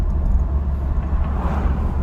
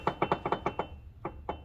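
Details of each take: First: 2004 GMC Envoy inline-six, 251K miles, road test after front drivetrain work: low road rumble, no grinding, noise or whine from the front end; brakes good, quiet over bumps (slight grinding only reported later in 4x4). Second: 2004 GMC Envoy, inline-6, front wheel raised, old CV axle wiggled by hand after refilling the front diff with 75-90 synthetic gear oil: sharp dry clunks in bursts from excessive ring-and-pinion play. Ring and pinion backlash knock.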